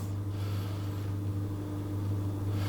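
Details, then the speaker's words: Coldis COLV12a+49dm dishwasher after fixing beep-and-won't-start fault, first stage of cycle; steady low hum with faint constant tone and no beeping, drain pump emptying leftover liquid for about 20-30 seconds, normal. "first part of it it runs the pump and that takes out any liquid that's been spilled inside or left over or whatever"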